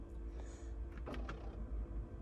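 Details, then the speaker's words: 2010 Ford Focus RS, 115,000 miles, with the car running: a faint, brief whirring and clicking from behind the dash as the vent mode moves to feet and then face; the mode actuator is struggling, and very little air comes out. "down to feet think you can hear it as it goes as it goes up there and up to the face well it does make a kind of noise that is the technical phrase for that"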